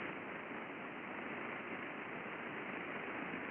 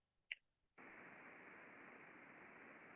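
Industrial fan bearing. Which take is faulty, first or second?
first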